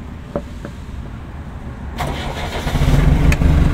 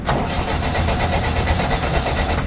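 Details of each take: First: JCB backhoe loader diesel, ignition key switched on so starter solenoid is enabled: quiet, short starter spin, engine catches at once and settles to a steady, even idle; normal start. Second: JCB backhoe loader with the key off, starter button pressed: even, fast cranking that never fires because the fuel shutoff solenoid is only powered with the key on; it starts normally key-on; crank no start, fuel shutoff solenoid not energized.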